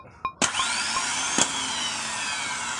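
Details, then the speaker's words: Starter removed from a Hino Victor 500 ten-wheel truck (260 engine) and bench-tested: sharp click, then a high, even whir that winds up and fades with no grinding; it spins normally. The truck's complaint is a clacking noise after starting, and the starter is non-genuine. "อันนี้ไดมันปกติเสียงไดปกติอยู่ครับพี่น้อง"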